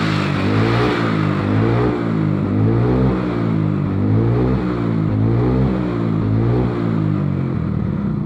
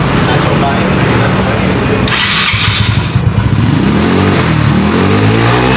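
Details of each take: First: Carbureted Mio Soul/Sporty/Beat or Vario scooter after repair: worn vacuum (skep) jet needle had dropped, making throttle heavy and power weak and starting hard; needle raised, revving now clean, smooth, crisp and normal. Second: Carburetted Yamaha Mio/Honda Beat-type scooter, hard to start in the morning, heavy starter: on throttle the engine stumbles and sags, revs climbing unevenly with no pull; bogging from a worn carburetor slide needle.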